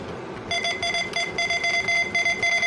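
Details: 386 DX/40 motherboard with AMD 386DX-40 CPU: short high beep at every key press, keyboard error shown; damage around keyboard area suspected, cause never found.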